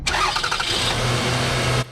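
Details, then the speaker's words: Toyota Highlander V6 started after tightening the alternator belt via the adjusting nut; brief crank, catches and settles into an even run with no belt squeal. "right sounds good to me no squeal thanks for watching have a nice day"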